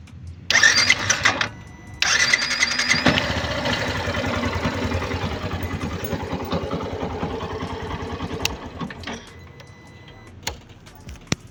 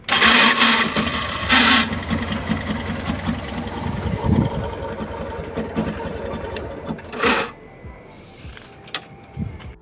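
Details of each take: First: Yamaha Fazer 150 after replacing the starter motor with a new one, since repairing the old one failed: short crank, then the engine catches cleanly and settles to a steady idle with none of the earlier starter noise. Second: Yamaha Fazer 150 motorcycle cranking: harsh, rattling whirr in short bursts from a failing starter motor with worn brushes; repair attempt failed and the starter was replaced with a new one.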